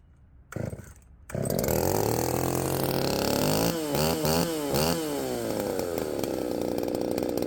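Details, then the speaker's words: Poulan 3750 chainsaw fitted with an adapted Chinese Echo 590 replacement carburetor, untuned first test run; earlier ran erratically when warm despite a carb swap: starts after a couple of pulls, then revs surge and sag; erratic running. "when it gets really good and warm it uh it starts running erratically and the IT Tunes erratically and nothing really quite makes sense"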